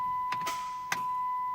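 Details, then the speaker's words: Chrysler 300, year unknown, no-start complaint: a few sharp single clicks over a steady warning chime with no cranking; usually indicates the starter solenoid coming apart or not plunging internally. "those clicks guys that is usually that is usually do that that is usually indicator of your starter solenoid coming apart okay or internally not plunging"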